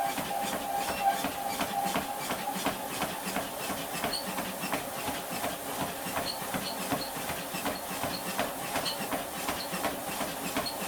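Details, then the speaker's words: Confidence Fitness treadmill after belt re-tensioning and silicone-oil re-lubrication: runs smoother and quieter, but a light tick repeats about 80 times a minute. The belt is still catching occasionally on the deck, worse at higher speeds. "This is now running, it feels smoother, it sounds quieter. If you actually give it a quick try. You still very, very slightly hear the catching occasionally."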